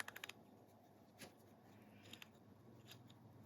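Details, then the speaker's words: Refurbished Plomb 5249 ratchet, thought 60–70+ years old, after cleaning and new screws: quick crisp run of even clicks then lighter ticks, no dragging or slipping; pawl working normally. "that is nice let's do the other way"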